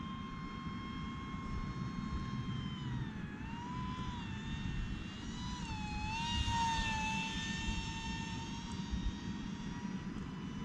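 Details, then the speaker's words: E-Flite UMX MiG-15 28mm EDF RC jet in flight: clean high fan whine rising and falling smoothly with throttle, no rattles or roughness; normal ducted fan running. "Well, it sounds awesome."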